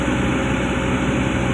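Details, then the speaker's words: Komatsu PC200-10M0CE excavator diesel, about 3000 hours, CA2249/CA559 history, high idle without load, reading about 900, more or less matching: steady even drone, no knocks or hunting; engine healthy. "Lê vòng tua cao không tải. Cứ để nó đạt con số 900, 900 hir là ít nhiều giống nhau, điều này có nghĩa là nó an toàn,"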